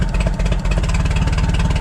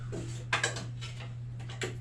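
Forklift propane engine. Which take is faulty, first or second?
second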